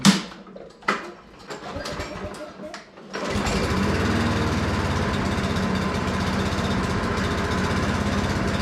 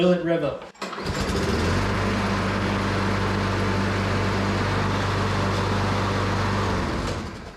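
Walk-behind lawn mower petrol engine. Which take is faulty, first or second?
first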